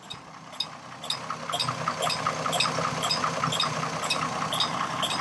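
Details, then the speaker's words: 2002 Chevrolet Trailblazer, about 200,000 miles, warm engine at idle: sharp, regular clicks about 2.5 per second from the electronic fan clutch, replaced the previous summer. The clicking is now constant when revved a little. "we have this awful noise right here this click click click sound that you get from these electronic uh clutch fans cooling fans"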